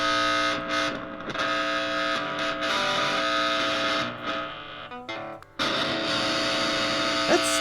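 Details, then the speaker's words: 25-year-old Squier Venus electric guitar, plugged in and played: harsh, distorted buzz under the notes that cuts in and out and stops if the body is banged. Intermittent buzz, suspected faulty wiring. "over the past year I've noticed this awful buzzing that this guitar makes when it's plugged in it isn't constant it just seems to come on sometimes and if you bang the body just right it'll stop"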